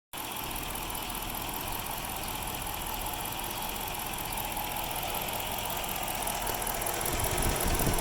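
Steady idle with an uneven, lumpy pulse about four a second over a constant hiss; the engine is idling roughly, cause unknown.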